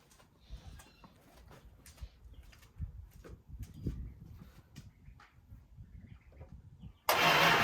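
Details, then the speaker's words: 1965 Chrysler 300 with 383 V8, sat since 2005, first start on gallon of gas to dangling fuel line: about seven seconds of slow uneven cranking, then catches and roars; owner suspects timing slightly off; long cranking before start. "Come on. Timing's off just a squeeze, guess. Well, I hear something."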